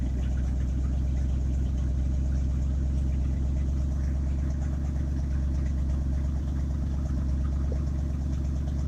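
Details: 1967 Ford F-350 flatbed truck, 302 V8, just started after sitting a couple of months: steady, even low idle with a smooth regular beat, no knocks or misses; normal idle.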